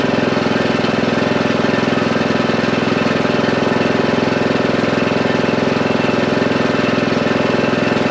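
Steady, even single-cylinder putter at about three and a half beats per second, holding speed without stumbling; mower running normally.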